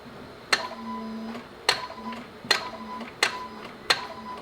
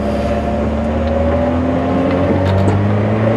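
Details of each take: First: Honda Civic that won't start: five sharp single clicks about one a second with no cranking, starter engages but never turns the engine after being tapped; owner suspects the starter and plans to remove it, not confirmed. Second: Honda car, likely the Prelude, heard while driving with an aftermarket exhaust that is subtle, a little louder than OEM. Steady, mellow, even rumble with no rasp or leaks. Healthy exhaust note.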